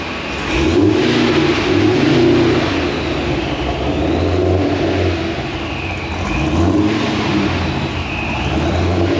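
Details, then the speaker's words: Pontiac GTO at the dyno: deep steady idle with a gently rolling exhaust note and no surging or hunting; it now idles smoothly. "listen to it idle this part is never idle like this no more surging I love it wow"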